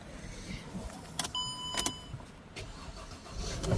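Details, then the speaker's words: Mercedes C300 after replacing the electronic steering lock that caused no crank, no start: quiet cabin, dash chime and clicks, then engine cranks and catches promptly; normal crank and start after repair. "all right we're back here changed the uh electronic steering lock let's give it a shot starts right off n"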